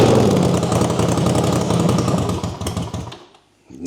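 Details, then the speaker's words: 1979 Honda CX500, formerly seized, started on choke and running off its own tank. Lumpy, fairly quick beat that sags almost to a stall, then picks back up. Engine running. "let's flip this choke right away doing it Craig it's running off the tank we're doing"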